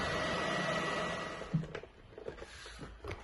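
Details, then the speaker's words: PS4 Pro running Horizon Zero Dawn at about 44–45°, after an earlier thermal paste change; loud jet-engine fan rush that suddenly drops off, then small clicks; owner suspects thermal paste spread off the chip, causing overheating. "currently the console is running the Horizon zero down game and the exit is going at 45 44° cus as you can see this is not much but as the console is blowing like a j engine we will need to open it and see what happened exactly"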